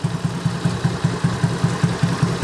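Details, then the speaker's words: Carbureted Honda Beat scooter over 8 years old with heavy fuel consumption, after the carburetor fix and idle adjustment: a steady, even putter at about five beats a second, the earlier huffing sound gone. Normal idle. "Ini suaranya sudah normal kembali ya."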